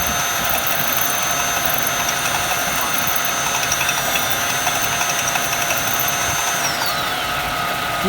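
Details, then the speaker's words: 1996 Jaguar XJ6 just after an oil change (about 8 quarts): at startup a fast, uneven ratcheting tick of about four a second that sounds bearing-like; cause unknown. "you guys can tell me what the what is that sound if i win like didn't shut off but it sounded like a bearing or something going on"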